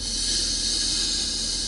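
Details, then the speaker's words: Car brake servo: steady sharp hiss with little engine rumble as the brake pedal is pressed, going quiet when fully down; faulty booster leaking vacuum, said to raise fuel consumption and engine RPM. "اللي هي وقت تنزل على الفرامل انت نسمعوا الصوت اللي يحط السيرفو كيبدا فيه مشكله، سمعتوه؟ هذا السيرفو نتاع الفرامل كيفاش يطشطش، كي ننزلوا على الفرامل،"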